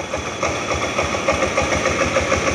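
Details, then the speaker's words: Honda Beat carburetor scooter, just fitted with a Bohante remote alarm, started via remote with the key removed: quick, even putter of about seven beats a second, holding steady without stumbling; clean idle. "Nah ini tekan dua kali ya kita tengok respon daripada motor udah hidup suaranya lalu kita matikan pakai remot juga"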